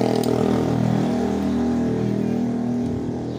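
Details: Honda Supra X small bike engine revving with a rough metallic jingle over the firing note at low and high rpm; possible causes listed include slack cam chain or worn tensioner roller, unconfirmed.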